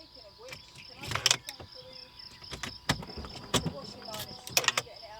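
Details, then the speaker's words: L322 Range Rover steering lock solenoid after WD-40 was applied: a few crisp clicks each time the key goes in, releasing cleanly; the steering lock is now actuating normally. "oh oh it's working it's doing it every time i put the key in you can hear it now i think the wd-40 must have worked"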